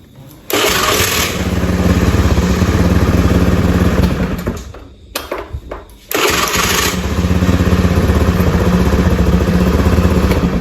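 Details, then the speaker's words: Honda Beat scooter with new battery that only clicked on the starter (dynamo normal); after bypass rewiring for a weak CDI, engine catches promptly on the starter, settles to a steady thumping idle, shuts off and restarts cleanly: normal start and idle. "Sekarang kita coba J kontak Nyalakan kita starter bisa ya teman-teman kita coba sekali lagi"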